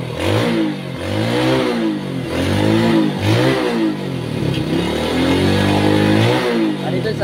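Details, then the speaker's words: Motorcycle with a no-run-without-battery fault, revved after the regulator was confirmed good; the problem was wiring at the regulator socket. Picks up cleanly through repeated blips, no misses or knocks. Normal revving. "So yun lang po yung naging problema natin idol no yung kanyang regulator no. Goods pa pala no."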